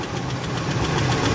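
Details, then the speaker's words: Ford F-150 with bad coil packs and a leaking intake: sharp, rhythmic tick-knock, probably from one bank, at idle, keeping time with the revs; the wrong spark plug struck the piston, and the engine needs replacing. "my biggest concern is that noise almost positives coming from this Bank"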